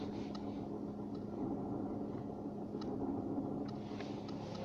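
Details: Skoda Fabia 2nd gen, over 250 (thousand) km, at idle in neutral: steady low whine/hum with faint clicks that stops when the clutch is pressed and slowly returns on release; owner suspects dying gearbox bearings/shafts.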